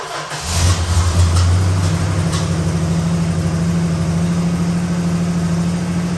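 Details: 1968 Dodge Super Bee 383 Magnum, just over 31k miles, original exhaust with one replaced Walker muffler, Pertronix electronic ignition, new wires and cap: catches quickly after brief crank, settles to steady, even low idle, no misses or knocks, slight muffler pop. Normal start and idle.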